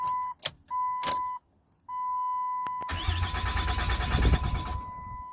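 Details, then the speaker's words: 2007 Dodge Ram 2500HD 6.7 diesel, after ECU reset and remanufactured TIPM fitted: dash chimes, then about two seconds of steady cranking that never catches; VIN not yet written to TIPM, suspected cause; crank no start. "but now it cranks over but now we got to get the vin written into the tipum central gateway module"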